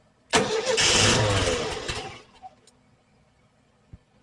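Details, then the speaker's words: 1968 VW Type 3 with original Bosch fuel injection, fuel pump on at 30 psi: starter cranks about two seconds with uneven chuffing but engine won't catch; owner suspects air bypass too closed; crank-no-start. "That was a mildly good sign. Air bypass I might need to open the air bypass, might be too closed. It's going, but it's not catching."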